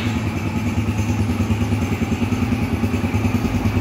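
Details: 2007 Yamaha YBR 125 with a newly installed, sealed replacement engine at its first start: steady, even single-cylinder putter at idle with no knocks or rattles; the engine sounds settled and healthy.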